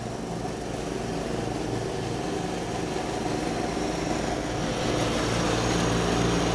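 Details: 1989 John Deere RX75 riding mower pulling through tall grass: a steady, even engine beat with no knocks or misses. The deck may be cutting a little low and throws grass everywhere; it is running normally under load.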